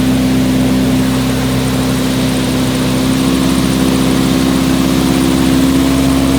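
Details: Nissan 180SX Type X, SR engine with TD06 20G turbo, 3-inch dump pipe, full-load dyno run at 15 psi with injectors maxed near 255 rwkw: strong, steady, clean roar with no misfire, knock or stumble. Normal engine under load.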